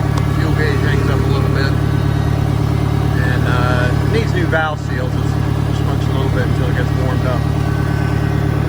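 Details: 1963 John Deere 1010, original and properly maintained, at 1,000 rpm in third gear on a backyard lap; steady low drone pulsing about three beats a second with only a mild gear whir, just starting to show some transmission noise. Normal transmission noise.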